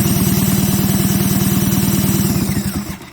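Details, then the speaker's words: 1977 Polaris Colt 250 snowmobile, unrun for about 18 years, compression test after a 12-hour Marvel Mystery Oil soak per cylinder: fast, even chuffing while turned over. Readings were about 120 and 105 psi, judged enough to run. "all right so this cylinder here we end up getting about 115 I just checked the other cylinders and same method and got right at 120."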